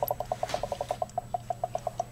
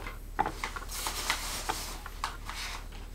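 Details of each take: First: Hot water mat boiler, 3 years old, refilling after descaling the clogged hose: fast light ticking trickle, about eight pulses a second over a faint steady hum, the normal sound of heated water being pumped and water drawn in as air bubbles escape. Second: Hot water mat boiler about 3 years old, noisy and barely warm: irregular watery bubbling and popping over a quiet hum from scale restricting water circulation and trapping air.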